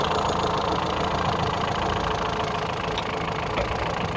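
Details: Ford Figo that keeps stalling, idling unevenly with an irregular stumbling beat; scan shows cylinder 4 and 3 misfires and a knock sensor fault, with a very dirty throttle body and cylinder 4 found fouled.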